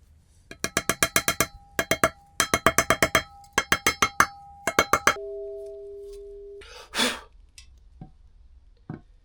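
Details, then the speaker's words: 1999 Suzuki GSX-R 600 wheel bearing being hammered in with a socket during rebuild: ringing hammer blows whose last strikes go duller and lower as the bearing seats fully. "Um, and you can actually hear there at the end the tone changes where it's fully in."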